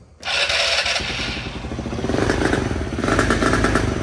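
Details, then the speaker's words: Polaris RZR 170 after rebuild with new Wiseco piston, jug, gaskets, timing chain and fuel pump, on fresh gas with choke on: catches right away, then stumbles with uneven surging that rises and sags; rough running from excessive choke. "would it kill it before we go messing pulling the throttle and it dies this choke too much yeah it ain't digging that"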